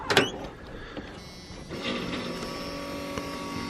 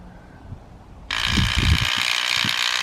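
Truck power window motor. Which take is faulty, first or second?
second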